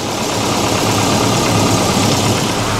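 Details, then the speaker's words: Volvo 740 started: steady, even low rumble with no knocks, misses or surges; engine idling smoothly. "Oh, got lights this time. Oh, ho, ho, ho. Yes! Volvo is alive."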